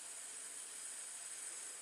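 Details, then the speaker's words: Chevrolet Captiva with a no-crank fault, same setup and problem as a 2008 Saturn Vue V6 with low-voltage issues. Steady faint high hiss of water boiling on the battery cable: cable overheating. "So he wasn't kidding about the hot battery cables. You guys see where this is going? Exact same car, exact same setup, exact same problem."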